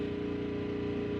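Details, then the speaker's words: 6500 W gas generator (8000 W starting) charging a Tesla at 247 V, pushed to 28 A near 7000 W; steady strained fixed-pitch drone, 27–28 A the absolute max sustainable. "28 oh oh it sounds like it's struggling it's dropping yep yep it's down"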